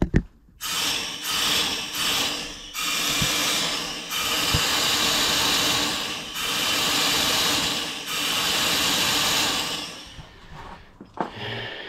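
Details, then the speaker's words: Porsche 996 Turbo twin-turbo flat-six with an unstable idle: steady bursts of sharp hissing as the intake is pressurised with a tire gauge pump, revealing an air leak behind a hard-to-reach part. "une prise d'air."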